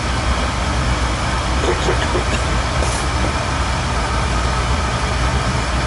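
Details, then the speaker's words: Old oil boiler burner after nozzle service (nozzle problem suspected, last cleaned about a year ago): steady low flame roar with even fan hum, no pulsing, sputter or rumble; firing cleanly and running normally. "Alright. Ain't no rocket science, but I mean, it's running. Yeah. That's all we care about, right?"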